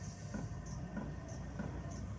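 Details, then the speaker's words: Cheap Chinese diesel heater after rebuild: regular soft puffs about every 0.6 seconds over low fan rumble, owner thinks it is over-fuelling then igniting; suspects control board or fuel pump, earlier E01 error. "anybody knows what that is i mean it's over fueling and then it's igniting"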